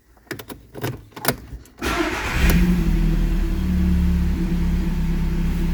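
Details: Audi with MED9 ECU, after an EEPROM checksum fix for a no-crank no-start (P0601): a few clicks, then the engine catches cleanly, flares and settles into a steady, even idle; healthy start.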